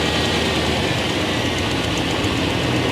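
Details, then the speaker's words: 1995 Chevrolet Silverado extended cab V8 shop truck after finding finger-tight spark plugs and tightening them (compression suspected escaping past plugs) and clearing exhaust leaks: steady, even idle rumble with no misses, ticks or stumbles; now sounds healthy. "that sounds a lot better that sounds a a lot better I think you had some compression to escape in the cylinder through the through the plugs"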